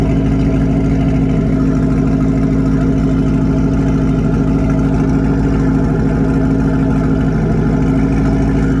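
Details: Drift Corvette V8 just after its first start, heard from the rear, oil pressure about 50 psi, coolant leaking through the heater core: steady, even idle with a constant low burble, no knocks or misses; running fine.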